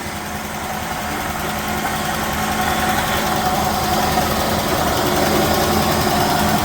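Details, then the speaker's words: 1969 Chevelle barn find small-block Chevy V8 revived after long storage, idling with a steady whirring rumble and faint ringing from the front of the block, possible slight lifter tick; worn water pump bearing noise. "Your water pump is scary. Stand back. The water pump bearings are scary. They're going like this."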